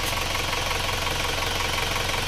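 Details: Warm Isuzu Panther diesel at about 71°C after flipping the sunken cylinder 4 liner and fitting new piston rings. Even, steady idle with light clatter, described as very soft, with no odd knocks; healthy.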